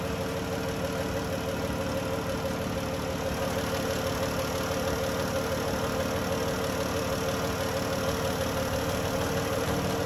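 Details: 2011 Dodge Journey 3.6 V6 after lifter and rocker replacement, shortly after a cold start: steady, even idle with a smooth low hum and no top-end ticking; the earlier tick is gone and the engine runs normally.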